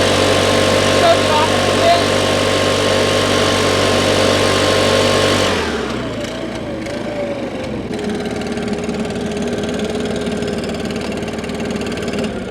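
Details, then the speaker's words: Stihl BR550 4-Mix backpack blower, never maintained, after a valve lash adjustment and about 10 minutes of running. The even drone sags in pitch and bogs but doesn't die. Carburetor intake screen or fuel filter suspected. "i've run it a couple of times and it is starting to falter a little bit it's not completely dying out run for a little bit slows down but it doesn't completely die"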